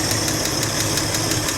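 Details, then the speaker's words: Truck back on the road after sitting nearly 15 years, engine idling after carburetor work: steady high whine over the idle with light ticking about six times a second; the whine is the power steering pump. "Oh, that sound I was hearing, that's the power steering pump."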